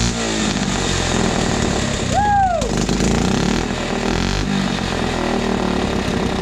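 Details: 1980 Honda CT70 mini bike, hot-wired off the magneto, running after the fouled spark plug was replaced: the small single buzzes steadily and evenly for several seconds with no misses or stumbles; normal running.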